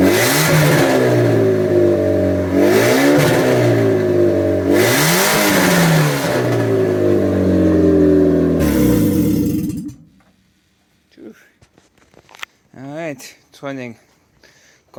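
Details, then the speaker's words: Ford Puma 1.7 engine rear-mounted in a twin-engine Mk5 Fiesta pickup, first start after loom modification, no exhaust fitted: loud raw bark with sharp revs over a steady idle, then cut off; engine running without exhaust. "because obviously no exhaust so it's super loud but it works"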